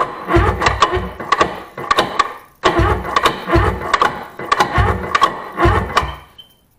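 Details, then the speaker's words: Abandoned 1996/1997 Sea-Doo GTI 720 two-stroke, sat for years, full of water, 150 psi compression: starter cranks in bursts with even strong chuff each stroke, slowing as booster pack weakens; good compression. "it's got compression my bet with my booze pack is getting weak but it has compression I think it will run"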